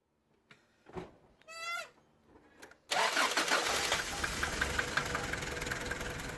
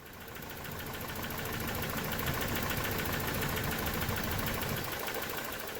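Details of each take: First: 1993 Toyota pickup 22RE after replacing the idle air control valve, whose coolant passage was plugged, to fix a surging idle: the engine catches and settles into a steady, even idle, now set low by the idle speed screw and needing adjustment. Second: 1993 Toyota pickup 22RE with a surging idle, no vacuum leaks found: with the idle air control bypass blocked, the idle runs even and steady without hunting, so the IAC valve is faulty, its coolant passage plugged; fixed by replacing it.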